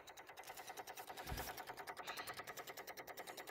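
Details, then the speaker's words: Infiniti G35 sedan with a recurring no-start, key off after the battery was reconnected: fast, faint ticking at just over three per second from the engine bay, not the battery. Owner suspects something is draining the battery. Rapid clicking with key off. "I had the kid the horn blue the light splash and so now I'm actually hearing something coming from The Battery area you hear this I don't know what that is"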